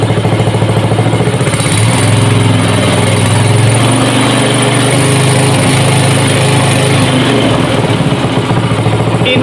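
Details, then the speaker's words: Small single-cylinder petrol water-pump engine converted to LPG, intake hole not yet capped: uneven popping and stumbling instead of a steady beat, lean misfire from too much air entering. "masih berebet karena angin yang masuk terlalu banyak."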